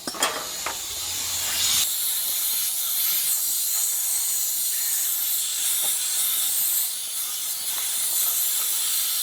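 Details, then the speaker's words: Two-ton commercial condensing unit with no cooling, system out of refrigerant, pressurized with nitrogen and a little refrigerant to find the leak. Steady high-pitched hiss at the compressor terminal seal, burnt refrigerant smell. Compressor seal blown; unit to be replaced. "blow the compressor blow right there you can hear it see on the compressor blue let's smell it when I got here burnt refrigerant"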